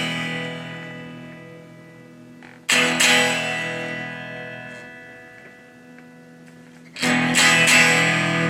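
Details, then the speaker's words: Fender Blues Deville tube guitar amp built 1993–96 with 12AX7 preamp tubes, fixed bias; guitar strums come through harsh, fuzzy and thin with a buzzy edge, amp should be much louder, possibly a major problem; distorted weak output, cause not found. "That is a really dreadful sound. Not only because it sounds terrible, it could be indicative of a major problem."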